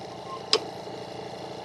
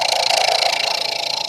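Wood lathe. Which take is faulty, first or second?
first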